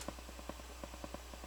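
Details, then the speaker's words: Crown CSC-850F stereo amplifier returned for static, in tape mode at full volume: quiet low hum with soft ticks about ten per second in one channel where only hiss should be heard. Owner suspects a dirty record switch; source unconfirmed. "I don't know what it is probably coming from the recording bar switch needs to be cleaned again but it shouldn't be making anything shouldn't be hearing anything but hiss"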